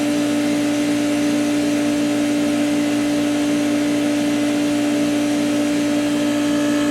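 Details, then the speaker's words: Outdoor beer fridge that died overnight and restarted: loud constant mid-pitched hum with steady tone and faint buzz, unit visibly vibrating and running rough; owner suspects a bearing, cause unclear, expects to replace the fridge. "So there is a vibration. We are heating. But the sound is not right."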